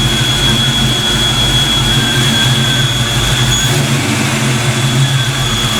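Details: Black Stang (Mustang) first fire with 24 lb injectors and 73 mm mass air meter, rockers shimmed; steady, even idle with smooth low hum, no knocks or misses, while warming up: normal warm-up idle.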